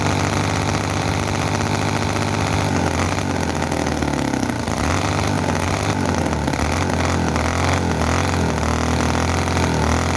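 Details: Chinese commercial model V-twin engine, possibly the Cison FG-VT9 9cc or Microcosm R28 4.3cc. Revs fast and unevenly, pitch hunting, with popping misses and explosions, never settling slow; oil coming out, fuel tank thought not good enough.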